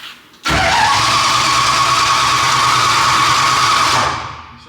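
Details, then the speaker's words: Cold engine with cold oil and headers, cranked with the ignition off after fuel priming: about three and a half seconds of steady but slightly sluggish starter churning without firing; slow cranking, owner suspects low battery or the cold. "Let's put the charger on. It sounds a little low, but it might be just because it's cold, too."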